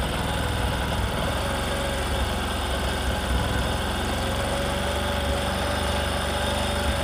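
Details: Discover motorcycle in a clip on mileage and engine sound problems: a steady, even single-cylinder idle with a smooth low thump and no knocks or rattles; the engine sounds healthy.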